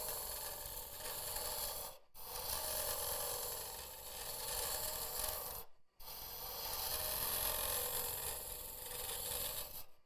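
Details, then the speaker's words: Woodturning a vase on a lathe: rough rasping chatter over three cutting passes while boring out, caused by the hollowing tool vibrating far out beyond its tool rest. "that noise there it's just vibration. Now, you just take it steady for this part because you're just boring it out."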